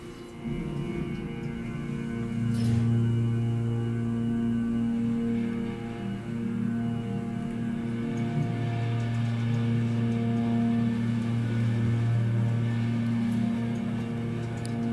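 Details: Hydraulic elevator at Waterside Garage, Norfolk VA, running up to floor five: a steady low drone with a warbling tone throughout as the pump strains from low hydraulic oil, causing noise, a bumpy ride and stress on the motor.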